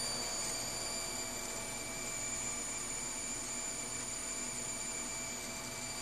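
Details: PSU with ATI HD4870 graphics card load: steady high electrical buzz over hiss, louder as load increases, shutting off under too much load; problem seemed to be PCIe rails, replacing PSU fixed it.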